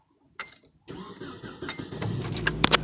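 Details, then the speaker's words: 1996/1997 Nissan Altima after crank-no-start fixed by replacing a bad distributor rotor: brief cranking, then engine catches and settles into a rising steady run, burning off excess fuel from earlier cranking. "As you see, RPM is there. So we're definitely back in business."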